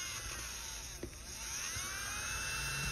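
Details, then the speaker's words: Nail drill (polisher) handpiece after disassembly, internal cleaning and reassembly to cure an odd noise, running in reverse: thin, steady high-pitched whir, even and quiet apart from one brief tap; sounds like new, normal running. "se escucha como nuevo"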